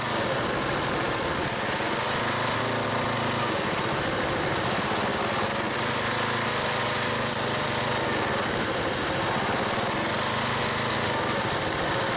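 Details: Small single-cylinder log splitter engine on a cold day, Seafoam added, working through firewood: busy, even drone at steady speed with no sputter or surging. The owner once suspected an engine problem, but it runs good.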